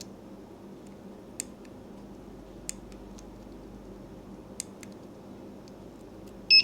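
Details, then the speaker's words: PS5 DualSense controller button checked with a multimeter on continuity before soldering: quiet room, a few light probe clicks, then one short high beep on the press, showing the button switch works. "Mình chỉnh qua cái thang mà đo nghe tiếng kêu như vậy. Đụng chạm 2 giây nó sẽ kêu tít tít đó."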